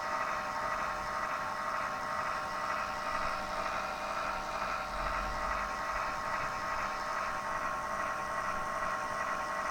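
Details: Zalman PC power supply: thin steady high whine, level, over a soft hiss; abnormal internal whining noise.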